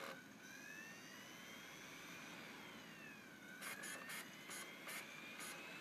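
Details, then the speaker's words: IBM ThinkPad X24 on Ultrabase X2, CD drive reading a disc; whining tone climbs and falls as disc spins up, then rapid rattly bursts; drive works but runs noisy, cause unclear. "yep that seems to work absolutely fine although I don't weigh that noise that's a horrible noise but yet that that drive seems to work"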